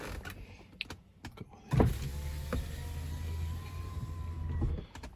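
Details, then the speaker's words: 1993 Mercedes-Benz 300E 2.8, about 28 years old, front power window in one-touch down mode: smooth, steady motor hum for about three seconds with no grinding or binding, then a clean stop; window motor healthy. "so it's got one touch push down goes down great"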